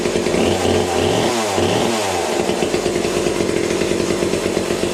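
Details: Vintage McCulloch chainsaw first run on a replacement bar and new chain, oiler not working: steady high buzzing two-stroke note that holds through a brief rise and fall; saw runs smoothly and healthily.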